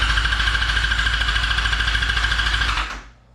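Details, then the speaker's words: 2003 Yamaha R6 with a new battery: lights come on but no fuel-pump prime is heard, then fast, even cranking at about three compressions a second with no firing; crank no start, bad fuel pump or relay suspected. "That thing spins over so fast. Okay, so did not hear the hear the fuel pump prime. So, it's either the fuel pump is bad or the relay is bad."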